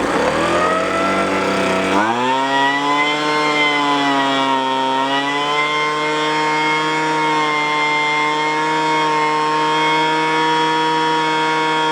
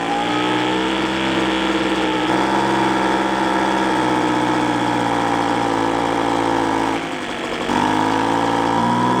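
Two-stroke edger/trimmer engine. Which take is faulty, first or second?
second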